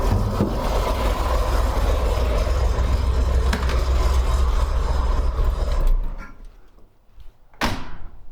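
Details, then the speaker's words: 1964 Corvair Monza during a tune-up, dwell reading 30° against the 31–34° spec: idle is switched off and the engine fades unevenly with a late cough. This is dieseling (run-on), which gets worse after running a while. "heard that little minor dieseling after i run it for a while it's it dies quite a bit more than that but that's kind of one of the problems i'm trying to fix"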